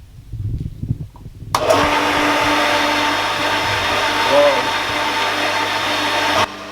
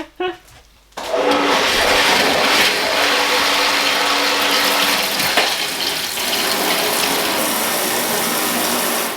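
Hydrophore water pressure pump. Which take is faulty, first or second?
first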